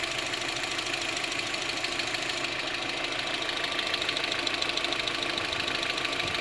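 Fast, even light ticking, roughly three per second, over a steady idle with crisp top end; a tick whose cause isn't clear.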